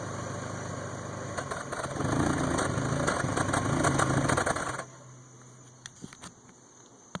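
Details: 1992 Toyota Camry 4-cylinder, rebuilt (rings, head gaskets; 200 psi compression; new distributor, plugs, ECU): rough, surging idle stumbles and dies; usually starts only with intake covered, worse when hot; misfire at idle.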